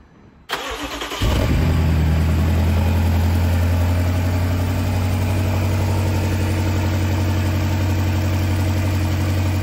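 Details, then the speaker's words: 2018 BMW X6M high-output engine after misfire repair (cylinders 5–8), valve lapping, reassembly; starter cranks briefly, catches, settles into steady even low idle with no knocks or misses; normal start and idle. "일단 지금 상태에서 아무 문제 없는 걸로 확인이 돼요"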